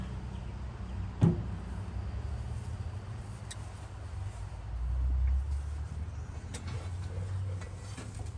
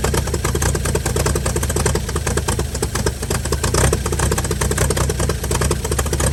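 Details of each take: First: 1955 Chevy truck inline-six, sitting 30 years, freed from seizure, spark restored, first start attempt: one sharp backfire pop strong enough to knock over the camera stand, then brief uneven sputter that fades; fires but won't keep running. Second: 1955 Chevy inline six truck revived after sitting about 30 years, used starter, carburetor filled and leaking, just started: fast, even patter with loud busy exhaust, no miss or knock; runs pretty good, normal idle.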